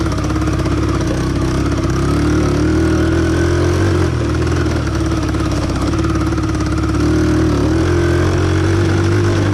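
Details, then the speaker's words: 1971 Honda barn-find motorcycle, whose backwards-installed cam was corrected, droning under load at quarter to half throttle with a stumbling beat and dropped pulses; a weak fuel line, lean running or a dirty carburettor is suspected. "about half throttle, quarter throttle, it starts to kind of peter out a little bit. So we may need to run some fuel through there, clean out the carburetor, make some carburetor adjustments, make sure it's not running too lean, and she should be good to go."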